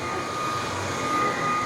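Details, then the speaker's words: Dreame cordless stick vacuum with 40W power head on thick rubber-backed mat, switched back from high to medium suction: even steady motor hum and constant whine, no bogging; brush roll spins freely again, much better. "go back to medium there you go much better"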